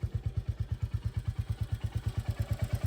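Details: Nearly new 2025 Royal Enfield Classic 350, after two services: a steady single-cylinder idle thump with a light tick-tick at each beat; a local mechanic calls it tappet noise.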